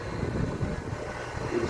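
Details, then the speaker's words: Vitalex blender that was noisy and tripping its thermal protector from shorting, after re-centring the armature shaft in the stator by adjusting the tie bolts: smooth, steady motor drone, no rubbing or scraping; running normally. "centralize o motor tá ó já tá em centro e eu vou ligar ele para você aqui já tá funcionando"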